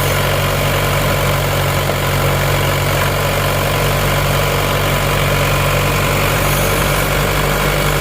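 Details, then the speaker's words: Isuzu Panther diesel after cylinder liners replaced to cure a knocking noise, warmed to operating temperature; nozzles 2 and 3 still leaking, not yet fixed; steady, even low rumble with no knock or miss, minimal smoke; normal idle. "kemarin ada suara ada suara nk-kk di seakkernya ini sudah kita ganti"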